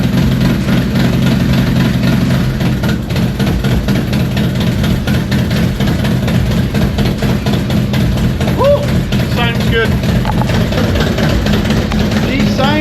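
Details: Harley FXDX Dyna Twin Cam, 26k miles, first start after cam chest upgrade from old spring-style chain tensioners: deep steady lumpy V-twin idle, even loping beats, no ticking or clatter; normal idle.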